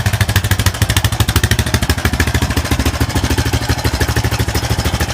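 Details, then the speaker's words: 2001 Honda Foreman 450S ATV, cold outside: even, steady low thumping single-cylinder idle with no knocks, misses or surging; white smoke is just cold-weather vapor, normal cold idle. "and that's just smoke from white smoke from being cold outside so that's not boo SM for anything"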